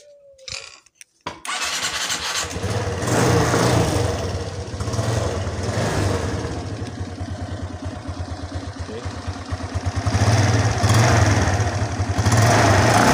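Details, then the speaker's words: Suzuki Sky Drive 125 scooter after a CVT service, electric-started on a serviced used battery: quick crank, then a steady, even putter with mild revving, smoother than before. The scooter still shakes when the throttle is released. "Oke, suaranya lebih halus dari sebelumnya."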